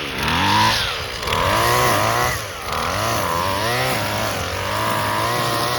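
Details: Husqvarna 128LD string trimmer, two-stroke on 2-cycle mix, after carburetor replacement and tune-up (spark plug, fuel and air filters; previously barely ran, never off choke), trimming grass: buzzy note rises and dips smoothly with throttle, picking up cleanly; normal running under load.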